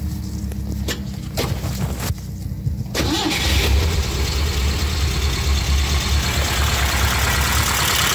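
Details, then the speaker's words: Peugeot 304 Cabriolet after reinstalling all replaced, removed and cleaned parts: a few seconds of cranking, then it catches and settles into a steady, even idle with no knocks or misfires before a test drive; normal start and idle. "Oh, it stay idling good. I want to take her for a test drive."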